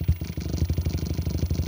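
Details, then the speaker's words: Percussive massage gun (cam-and-piston motor, two 18650 cells) at lowest speed setting: fast even thumping about twelve beats a second, low and solid with no rattle; normal running. "yeah you can hear the speed it's going at but that's at its lowest setting"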